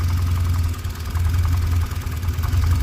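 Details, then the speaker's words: 2013 Cadillac ATS4 2.0L turbo, hard to start, running rough and misfiring; power balance test with cylinder two disabled, knocking unchanged; rough uneven idle with low irregular knock about once a second. "runs rough knocking's still there let's enable that let's go to it's three disable knocking didn't change still knocking"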